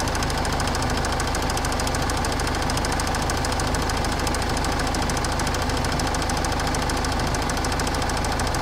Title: Ford Kuga engine bay clicking sound.